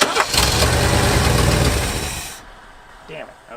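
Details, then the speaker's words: 1970s Lincoln Continental Mark III V8, key and ignition off: keeps chugging roughly, then shudders and dies. Dieseling caused by the carburetor curb idle screw being open too far, letting in extra fuel. "what that's going to do when you turn the key off is let that extra fuel in and it's going to combust and do exactly what you heard this motor do"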